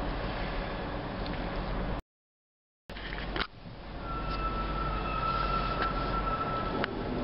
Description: This is the squeal from my 2008 Audi Q7 4.2